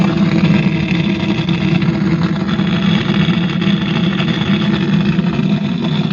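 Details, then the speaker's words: Cemex 9898 home theatre, powering on after no-power fault, sound check: constant harsh raspy crackle over speaker output, persisting even when mode changed; distorted audio, cause unknown, speaker suspected. "देखिए हम इसे mode change करेंगे तो भी वो कर कर की आवाज आएगी दोस्तों"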